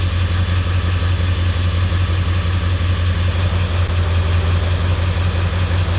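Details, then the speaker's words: 1999 Ford 7.3 Powerstroke diesel, hard to start cold with lope and black/white smoke; steady clatter with a regular stumble during cylinder contribution self-test, dead misfire on cylinder three from a faulty injector. "so we have determined that we have a dead misfire on cylinder three it is not contributing to the rest of the cylinders"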